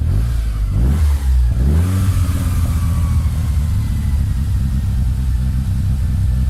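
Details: Mitsubishi Lancer EX turbo: low lumpy note rises with a rev then settles into uneven stumbling beat, misfire; plugs, leads, coil, cap and rotor, MAF replaced, ECU swapped, coolant and intake air temp sensors in spec, cause unconfirmed.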